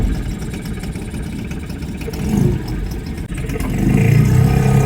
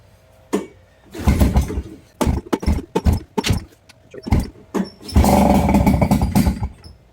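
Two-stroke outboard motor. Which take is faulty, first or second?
second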